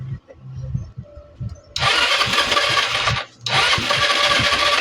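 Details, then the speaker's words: Euro 150 fuel-injected scooter after a battery swap: two bursts of high-pitched starter whirring, but the engine never fires. The key is then cycled five times to reset it, clearing the check-engine light. "Puro redundo at ayaw umandar. O pag ganyan ang issue ah dahil FI to."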